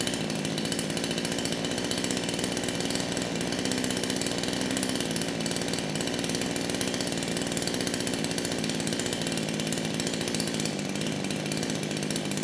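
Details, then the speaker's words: Kraftworld KW-5800 58cc Chinese chainsaw, previously run on straight fuel and suspected of low compression, restarted with throttle locked and choke on: even, steady buzz with clean firing, idling and revving properly; clutch spring is damaged. "and that's all I needed to hear the saw it is idling properly it's revving up it's doing what it should do"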